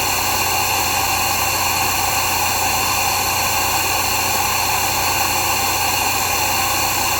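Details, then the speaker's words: Air compressor during a 10-minute continuous test supplying 7 CFM at 90 PSIG: even unbroken hiss with a low steady hum, no knocking or stalling, cycling on to refill the tank and kicking off; normal running under load. "You might be able to hear it in the background, but the compressor's still on. It just kicked off."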